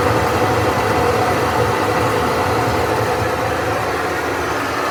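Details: GE washer: loud steady jet-engine-like roar through the whole cycle, pointing toward broken or worn drum bearings; cause suspected, not confirmed.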